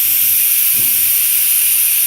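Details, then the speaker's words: Home central-heating radiator, system pressure just over 1 bar: steady high airy hiss of trapped air escaping from the bleed valve opened anti-clockwise at the top, before water drips out; air trapped in radiator. "The reason for this, because there is a lot of air at the top here, and the bottom is water. So I need to take out the air."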